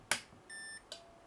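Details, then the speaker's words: PC power supply in an X570 build, running on 12 V CPU cables with no floppy connector used, gives sharp clicks like a switching relay plus a tester beep at no load; cause unknown. "there's like some sort of switching relay now see if i can get my mic that far see if you can hear it jira there's a definite click there after like some sort of relay"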